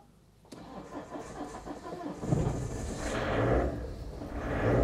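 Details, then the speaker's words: Citroen Berlingo 2.0 HDi diesel with uneven starter churn, owner suspects compression loss: cranks and catches unevenly, stumbles, skips and surges, then steadies; suspected dropped cylinder or failing injector, not confirmed. "Okay, seems to be running all right. Now she's running on all four cylinders, because... Or is she? I think we've got an injector going down."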